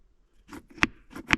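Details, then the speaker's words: 2013 Jeep Wrangler JK six-speed manual: two sharp plasticky clacks as the removed, internally egged-out shift knob is shaken on the lever, reproducing the driving rattle that stopped when a hand rested on the knob. "that's definitely the noise it was making and also when you were driving if you put your hand on it it would stop"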